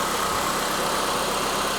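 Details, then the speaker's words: Normal idle of a 2006 Mitsubishi Lancer ES revived after years in storage, before a charging-system test. Steady, even idle with no knocks, misses or whine; it runs better than expected. "I can't believe it's actually running that good but we need to fix this little shift lever first and we can go run go ride around a little bit let's check the charging system see if that alternator is working it does run better than I thought it would"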